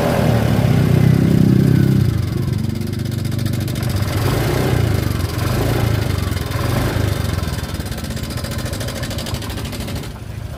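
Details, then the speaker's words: Honda Vario 125 scooter after repair of a sudden rough rattle; even, steady idle picks up cleanly when blipped and settles back, no rattle or roughness: normal idle and revving. "Oh iya mantap ya sudah hilang suaranya nah Hai sudah halus"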